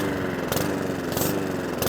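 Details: Mountfield 414 lawnmower, very smoky: note hunts up and down, swelling roughly every half second; surging from fuel starvation.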